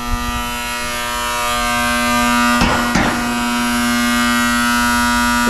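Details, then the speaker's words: Newer 2022 AC system, condenser contactor: loud, steady electrical buzz with a strong low tone and crackling chatter partway through; contactor is excessively loud and replacement is recommended. "The contactor is so damn loud. I recommend replacing that."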